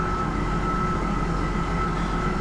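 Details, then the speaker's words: 2001 Ford Explorer after cleaning the idle air control valve, warm after several minutes running: steady fast idle drone with a thin whistle, not dropping; high idle persists, owner suspects the IAC valve needs replacing. "Well, that let it go down quite a bit, but it's climbing a little bit. And I had tried that before too, hitting the gas, and it didn't let it come down."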